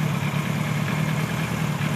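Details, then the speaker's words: 1976 Kawasaki KZ900-A4 four-cylinder after correcting exhaust cam timing, replacing two bad spark plugs and fitting a new exhaust system: steady low burble with an even fast pulse and no ticking or misfire; healthy idle, carb synchronization slightly off. "I'm really pleased to see this is working now sounds good runs good"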